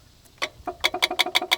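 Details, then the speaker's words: Old Honda Accord, AC compressor powered directly via wire-piercing probe: sharp light clicks about six a second with no compressor hum; clutch engaging but compressor not running. "that's the compressor you can see it's clicking it goes nothing"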